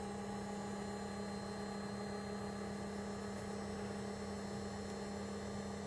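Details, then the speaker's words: JVC VCR rewinding a tape: quiet, smooth, even motor whir with a steady hum and no catches or squeals; healthy rewind. "all right let's try rewinding hey that sounds healthy"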